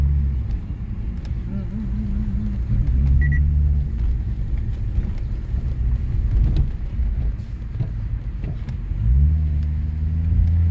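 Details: Lexus IS250 test drive after repair of brake creaking that occurred without pressing the brake: only low road rumble and engine pulling through the gears, no creaking or rubbing from the wheels; brakes now quiet.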